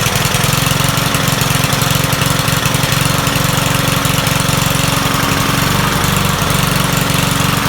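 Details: Troy-Bilt 21-inch self-propelled mower salvaged from the dump, owner thinks it has a Kohler engine: the single-cylinder engine surges and stumbles rather than holding a steady idle. It runs rough, and the owner says the carburetor needs cleaning.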